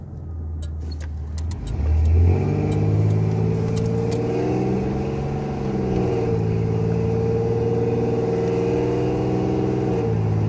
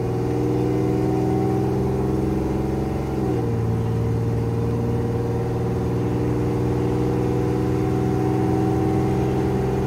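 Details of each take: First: 1987 Chevrolet Celebrity Eurosport 2.8 V6 after vacuum modulator replacement, automatic accelerating through third, fourth and overdrive by 45 mph: engine note climbs and drops cleanly at each shift with no flare or slip. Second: 1987 Chevrolet Celebrity Eurosport 2.8 V6 at 235k miles, after vacuum modulator replacement and turning its adjustment screw in one turn: engine note climbs and flares without more pull, still slipping in second.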